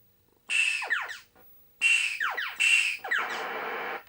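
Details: 1980 Midway Space Invaders Deluxe PCB after repair of a no-video fault by replacing a 0.22 µF cap pulled out by a bad solder joint: clean swooping chirps and hissing explosion, all effects present, no dropouts. Normal sound effects.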